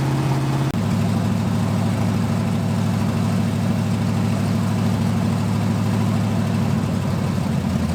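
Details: 1980 Dodge short-bed truck big-block V8, first run in 14 years, during cam break-in after converting from points back to factory electronic ignition; deep smooth steady fast idle, no misses, knocks or ticks, normal running.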